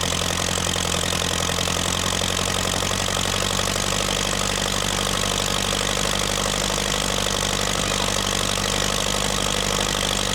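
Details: Massey Ferguson TEA20 1950s tractor, test run after fuel tank sealing repair and new wiring loom: even, steady idle with a smooth low beat, no knocks or misses; normal idle.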